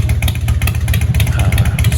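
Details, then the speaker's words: 1997 Harley Dyna Wide Glide V-twin idling after installing new Vance and Hines Shortshots pipes: deep loping exhaust beat, no rattle unlike the old factory Screaming Eagle pipes. "sounds nice no rattling looks nice nice and clean very happy with these"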